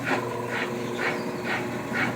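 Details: Washing machine after a full overhaul with a new pump and new bearing, spinning and draining: an even spin with a soft whooshing slosh about twice a second as hose water runs back to the pump; the bearing is quiet; normal.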